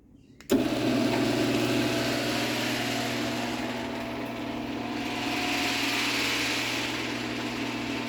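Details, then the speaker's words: Genie H6000A garage door opener rebuilt with the chassis and motor from a parts unit: smooth, even motor hum with a low drone and light chain rustle, quieter than with the old motor; normal operation. "You can also hear it is quieter with this other motor in it as well, which I also like."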